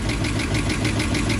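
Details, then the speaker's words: 1996 Bayliner Capri 2050 SS with 305 Chevy V8, sat 14 years, cold start: rough idle with a fast light ticking at engine speed; loose rocker arm nuts, possibly pulling studs. "Alright, it's a cold start. And you can hear them. I'm going to do a little redneck tighten. They're loose."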